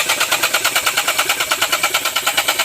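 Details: Geely Okavango 1.5L (2022): fast steady cranking pulses, about seven a second, continuing without the engine catching; hard start, clogged fuel suspected.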